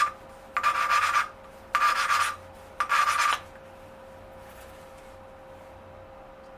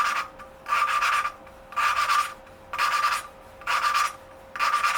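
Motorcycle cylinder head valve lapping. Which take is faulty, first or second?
first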